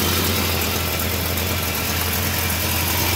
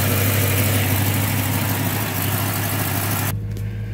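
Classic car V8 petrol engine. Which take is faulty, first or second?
first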